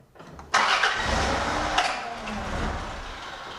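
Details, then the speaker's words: Vehicle with a starter complaint of a machine-gun-like rattle, tested with a VAT-40 tester and an inductive ammeter clamp on the battery positive cable: short crank, clean catch, smooth even idle; voltage holds well, low starter current draw; normal start and idle. "It seems to run, start and run. The battery voltage holds in there very well and the amperage."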